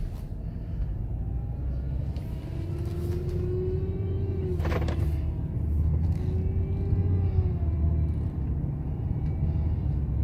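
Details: BMW F10 535i: steady low engine rumble with a faint wavering whistle that rises and fades; abnormal engine noise, cause unclear.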